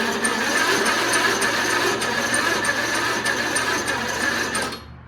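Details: A slam mower in cold weather: the starter spins the engine in a steady buzzing churn for about five seconds but it never catches. Cause suspected, not confirmed. Cranks but won't start.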